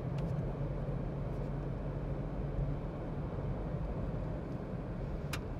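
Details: Maruti Alto K10 budget car cabin at about 50 km/h on tarmac, setting one, measured about 61–62 dB: steady low road roar and tyre rumble, even with no knocks or whines; normal but lightly damped, louder than the Range Rover.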